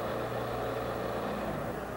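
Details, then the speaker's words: Toyota 4FG/4FD-series forklift power-shift transmission stall test, engine at full throttle with tachometer watched: steady drone sagging slightly from no-load governed maximum as the torque converter loads; normal drop (200 RPM spec for 5R engine). "pedal pull stroke while you are running the engine up to full speed keep an eye on the tack you will notice a drop from the no load governed maximum"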